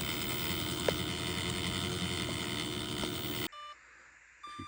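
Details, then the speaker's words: Axial Gilamon 1/8 trail buggy with Hobbywing Fusion 8 brushless motor: harsh, gritty grinding with a whine, like rocks in the gearbox. Not bound up; the pinion was likely the wrong cut for the Axial spur gear, fixed by fitting a 14-tooth pinion. "hear that grinding and like there's rocks in there it was quite crazy um it didn't feel like it was bound up just the gears didn't seem to be lining quite correctly"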